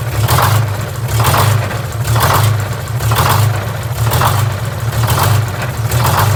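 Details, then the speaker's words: GM 4104 bus, Detroit Diesel 6-71 running: harsh rattling racket surging about once a second over engine note; generator removed, drive gear found missing several broken teeth. "well the racket that generated was making I didn't like it so I figure we need to pull it off and inspect the drivetrain on it"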